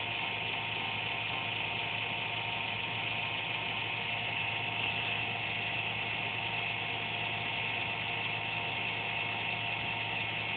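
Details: Desktop PC under a desk, noise occurring randomly once or twice a day with no performance loss: steady high whirr with a raspy, ratchet-like buzz, shifting from inconsistent buzz to pulsating whirr; owner suspects a fan.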